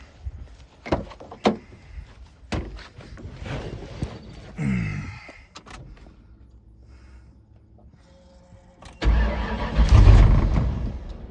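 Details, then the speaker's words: 1995/96 Ford Mustang Cobra 302 automatic, freshly swapped engine with very radical cam, first start after retarding timing slightly; catches, stumbles and sags, throttle keeps it alive; O2 sensors eliminated, wiring harness issues, rough running and stalling, cause unconfirmed. "There she goes. Oh, this thing's going to be hard to keep it running. It's supposed to have a very radical cam in it."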